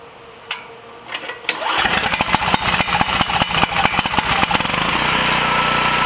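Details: Coleman Powermate generator after its rectifier board was repaired and refitted, started to test power output: a couple of pulls, then it catches, fires rapidly and settles into a steady fast run; running normally.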